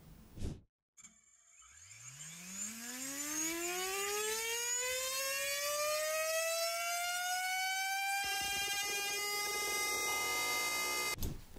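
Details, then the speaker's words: 6-inch drone prop test, EMAX Avan LR 6x3.8x2 prop: a steady tone climbs as the motor spins up, then turns rough and buzzy at high RPM and thrust. The prop is not stiff enough and flutters, cutting efficiency and adding noise. "the prop is not stiff enough to maintain its shape at these high RPM and thrust levels and so it starts to flutter and that reduces the efficiency and also creates an enormous amount of noise"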